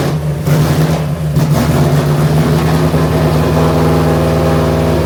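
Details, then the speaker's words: Carbureted V8 with six-barrel setup (two-barrel carbs, 88 jets front and rear) on test start while warming up: loud drone with an uneven, lumpy beat, four cylinders not firing (two per side), very rich at fast idle; no spark suspected, cause not yet known. "are not working four cylinders four cylinders are not working was it carb or I don't know yet I don't know yet four cylinders are not working"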